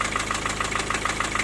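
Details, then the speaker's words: Four-cylinder diesel at idle: sharp, regular metallic, hollow knock about six per second. The owner suspected valves hitting the piston. The actual cause was a loose piston in cylinder four with almost 1 mm of play. The block needs boring. "а стук был вот из-за четвёртого там поршень просто болтается"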